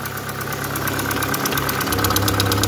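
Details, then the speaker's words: Opel Astra G coupé Bertone idling while warming up after throttle body cleaning: fast, even light ticking in time with the engine, fading as it warms; owner suspects a hydraulic lifter lost its prime and plans thicker oil at the next change. "Le cliquetis. Ouais. Ah, là, il commence à partir. C'est qu'il n'est pas amorcé ou je sais pas quoi, il y en a un qui s'est désamorcé."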